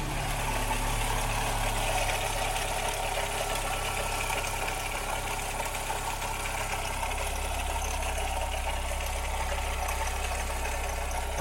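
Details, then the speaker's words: Ford Ka petrol engine idling in neutral, then a light rev: rough, uneven knocking clatter under the running note; abnormal engine noise, cause not yet diagnosed, stethoscope check to follow. "olha o barulho que está fazendo Está um barulho muito ruim"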